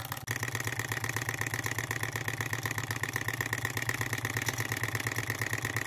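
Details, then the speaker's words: Model engine after first repair on a new lathe, burner set where wanted, at preferred speed: even chuffing about two to three pulses a second with steady ring, beautiful smooth sound; normal running. "now I'm impressed with this beautiful smooth sound I'm impressed listen to that nice real nice"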